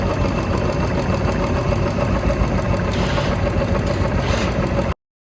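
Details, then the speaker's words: Royal Enfield Bullet 350 that had a tik-tik top-end noise, after restoring oil supply to the rockers: steady, even single-cylinder idle thump with no tapping. Normal idle after the fix. "तो दोस्तों एक simple सी activity करके हमने इस bike की sound को clear किया है।"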